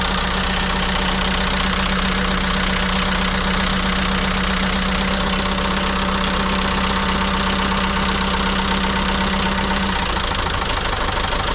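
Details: ~2006 JCB 180T compact track loader diesel idling with a loose, uneven clatter near four beats a second; injector-line cracking test: one cylinder unchanged when cracked, other three ran worse, so that cylinder gets fuel but isn't burning it.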